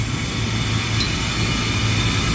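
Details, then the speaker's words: Walk-in freezer compressor just started under heavy load with evaporator fully loaded: loud, harsh, rough buzzing drone with hiss; failing compressor with internal wear. "ooh, sound rough, sounds very rough it doesn't sound good at all. We're going to give it a minute."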